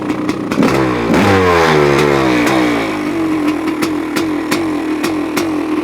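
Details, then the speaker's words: 1985 Honda CR500 engine fitted in a 2007 CRF450R frame, first run with muffler, choke just turned off, still a bit rich: crisp two-stroke crackle climbing and falling cleanly through blips, then a steady idle; healthy runner. "I just turned off the choke motor sounds different with a muffler on it sounds pretty good huh it it's still a bit Rich which is okay sounds like it has a cam in it"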